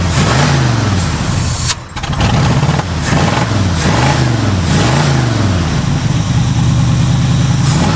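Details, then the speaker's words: 1967 Mustang barn find, both carburettor idle screws fully closed yet it idles better than before: idle lopes and surges about once a second, dipping and recovering unevenly; running rich from a bad power valve diaphragm leaking bowl fuel into the engine. "right now this idle screw is closed entirely they're both completely closed car should not be able to run at all but instead it idles better than it ever did before that's because the power valve is bad and the dire frame is letting extra fuel from the bowl straight into the mo"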